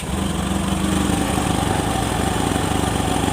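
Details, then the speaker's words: Honda Beat Street scooter (2017–2019) test-started after the throttle body was cleaned and the CVT serviced, with the rusted throttle grip still sticky. An even, steady idle with no hunting or surging; normal idle. "Oke, normal. Oke, normal, Guys, ya. Oke, mantap."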